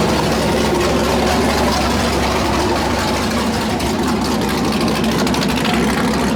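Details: 408 LS stroker V8 on first start after build: deep, choppy idle near three beats a second with an uneven lope over a low rumble; normal big-cam idle, air-fuel around 13.3, possibly a touch lean.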